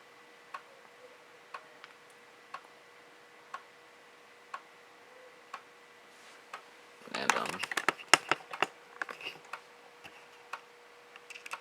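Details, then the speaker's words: PowerBook 1400 floppy drive reading the inserted install disk while installing Mac OS 7.6; soft ticks about once a second, then a burst of chattering head-seek clicks; normal floppy seeking and reading. "as you can hear, the floppy drive, it's doing its thing."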